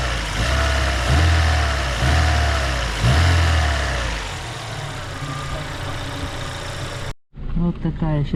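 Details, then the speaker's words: Daewoo Lanos engine after a rebuild for knocking, first start and warmed to operating temperature: three quick revs rise and fall cleanly, then a smooth idle settles with no knocking from the bottom end; the earlier noises are gone; normal running. "так машину прогрели сейчас уже этих звуков не слышно"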